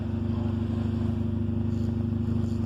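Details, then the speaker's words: 1994 Honda Civic LX, under 93,000 miles, idling after a jump start with the air conditioning running. A loud, throaty pulsing exhaust note from a bad muffler. "the only thing you're going to hear again is that exhaust note which is way off because there's definitely a bad muffler on this bed bad boy"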